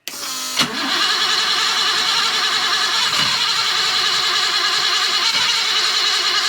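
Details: 1980 BMW E12 528i revived after sitting, injectors cleaned: starter spins steadily with a few uneven catches but it never fires; no start from low fuel pressure, traced to the regulator.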